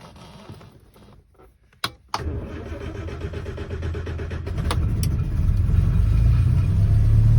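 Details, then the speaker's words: Rover P4 80 after a carburettor tune, started still cold on choke; cranks, catches and settles into a steady, even idle that climbs slightly on choke, smoother than before, with no misfire or hunting. Normal cold idle on choke. "it sounds more smooth than like them before and once it's warmed up you can turn the choke off and it idles nice and quietly"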